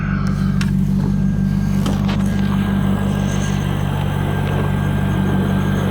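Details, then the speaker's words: 2002 C5 Corvette convertible, 350 hp LS1 V8 with automatic transmission, 83,230 miles, oil pressure about 40 psi, idling: steady, even low rumble with no knocks, ticks or leaks. Normal idle. "car is equipped with the 350 horsepower ls1 engine has no NOx or ticks or leaks"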